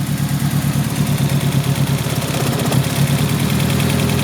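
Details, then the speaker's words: Car at idle, timing belt in poor condition: uneven, lumpy idle settling toward a steadier beat as spark plug wires are pulled out slightly to make it run better; cause suspected, not confirmed. "see if I can mess around with the spark plug where I make it run better with wires time belt is not doing good"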